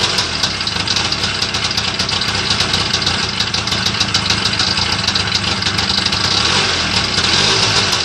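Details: Homemade Muravey three-wheeler, first start after repair: busy, crackly two-stroke idle holding steady and even with no misses or stalls.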